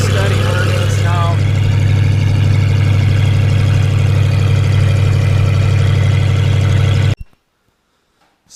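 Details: Ford Ranger with freshly rebuilt V8 driving under load; temp gauge shows about 230, accuracy doubted; deep steady drone, even and unbroken, no knocks or ticks; healthy.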